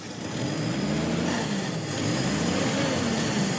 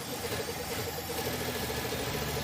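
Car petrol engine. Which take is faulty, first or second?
second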